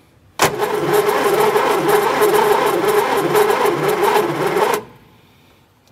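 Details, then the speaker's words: Barn-find Austin-Healey Sprite engine, plugs out, in neutral, starter on a direct power wire: even chug at about three and a half turns a second; the freed-up engine now turns over freely. "a good sign now that the engine turns over"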